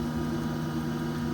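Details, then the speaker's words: Camper van parking heater's antifreeze circulation pump running with floor-heating switch and exhaust-venting fan on: steady even low hum, no knocks, rattles or wavering; pump running normally. "그리고 이제 요게 요 순환 모터 있죠? 요거 요 순환 모터 요게 이제 지금 도는 거예요."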